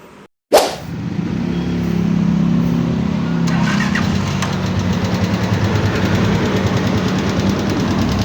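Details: Microbike EXT motorcycle before a tune-up, so noisy the owner thought the engine needed a teardown: busy idle with fast, light ticking over the running note.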